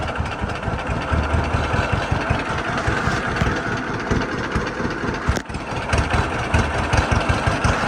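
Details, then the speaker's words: Late-model John Deere B (1947 or 1948), six-volt with magneto, idling through a muffler on a windy day: slow, even two-cylinder putt with no knocks or misses; healthy idle. "Tractor's running good. A lot better with a muffler. I couldn't imagine farming for too long with a straight pipe."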